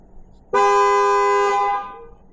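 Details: 2008 GMC Yukon horn triggered through an actuation test on a Thinktool Platinum S10 Pro scan tool: one loud, steady blast lasting just over a second with a clean, full tone. The horn works normally.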